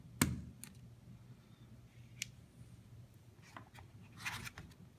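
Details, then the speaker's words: Ratcheting crimp tool on a Canadian Solar T4 PV connector contact with PV wire: a sharp snap, then a few light clicks as it releases after a complete, proper crimp. "now you'll notice the crimp tool will let you release when it's done a proper"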